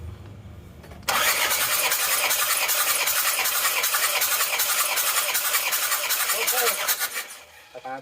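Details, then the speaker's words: Isuzu Panther 2.5 diesel, compression test on cylinder 1, valve cover off, owner complained of weak power: steady even cranking about six seconds; reading 28, very good compression, no rebuild needed. "karena tekanannya ada di 28 mau diapakan lagi kalau sudah 28 itu sudah komisi yang sangat bagus"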